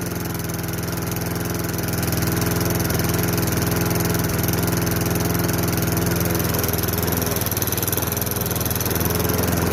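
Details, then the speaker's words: Craftsman 22-inch mower, 5.5 hp Tecumseh, sat about 10 years: started on the second pull with no primer and runs with a fast, even putter at steady speed without surging or stumbling. "and it did second pole with no primer"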